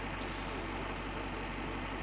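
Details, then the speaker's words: 1984 BlueBird Wanderlodge diesel idling: steady even low rumble without knocks or misses; fires right up, burns no oil, gauges in spec; normal idle. "So that's the engine. Idling, smooth, running. It is really an awesome motor. I'll tell you, it just fires right up."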